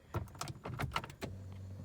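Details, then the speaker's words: 2010 Ford Taurus Limited that won't drive or reverse, rolls freely in park, doesn't hold transmission fluid, no warning lights: five or six loose metallic clunks on accelerating in gear, then only idle hum, a new noise; no drive engagement, cause undetermined. "you try to accelerate okay so that's new it hasn't really made that noise before"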